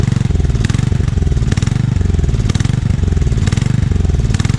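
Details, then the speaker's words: Small engine on 42" Haban pull-behind finish mower, rusty carburetor with water in bowl only quickly cleaned; uneven lumpy running, irregular stumbles about once a second over low drone, misfiring and coughing, more carb cleaning needed: rough running. "okay as you can hear it's running it's not running well I've definitely needs some more cleaning but feels go to get it turned over I'm gonna let it run and stumble and cough like it is for a little while"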